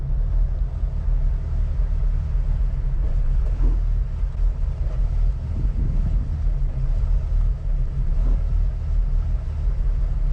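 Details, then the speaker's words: Jeep Wrangler TJ warm after about 5-8 miles, rough idle in drive after cooling fuel rail and injectors with blower several minutes: deep uneven rumble pulsing about three times a second. "It's still running terribly rough. After using that blower on everything, we still got a rough idle here. If I put it in drive, we can see how bad it is."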